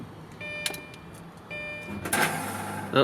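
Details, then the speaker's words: 2004 Lamborghini Gallardo, little driven, cold start before starter replacement: thin electric whir spins up twice without catching, then fires; old starter slipping and free-spinning instead of engaging. "so you can hear it spinning there we go proper cold start this thing is stinky"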